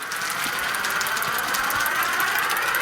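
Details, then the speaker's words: Repaired Hornby G100 live steam Stephenson's Rocket model running on the track: a steady hiss with a fast, light, even beat and no noise from the pistons or conrods, a smooth and healthy run. "well this is an excellent runner no noise at all from the pistons or the conrods just smooth running"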